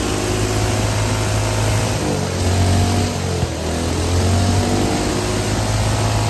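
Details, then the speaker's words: Hydrogen-fuelled combustion engine with petrol, methanol and diesel swapped in for the usual water injection, run with hydrogen nearly off on almost 100% diesel; vibrating heavily with uneven thumping knock, yet still running. "The engine is vibrating like mad, so I'm getting a lot of knock. The engine doesn't really like it, but it is running."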